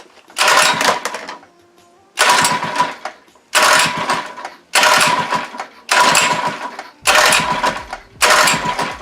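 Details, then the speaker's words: Monster Moto / Mega Moto 80cc mini bike, unstarted for six months, choke on, with fuel stabilizer used; seven pull-start bursts, each dying away with no catch. The engine cranks but won't start. "okay say it's being a real booger because it's been six months since you started it"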